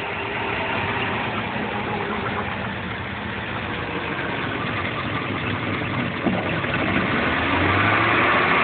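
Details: 2WD Suburban 5.3 V8 cold start after a freezing night: lumpy, uneven stumbling idle that never settles; misfire, owner suspects an intake gasket and possibly an exhaust leak.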